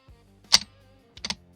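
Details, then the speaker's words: 2018 Chevrolet Malibu starter motor (clicks, no crank) bench-tested at 13.15 V, pin A energized: two crisp metallic clacks about a second apart as the solenoid pushes the Bendix drive out; engagement works normally. "Se escucha que Bendix se activa. Ese ruido nos indica que el pendix está activándose."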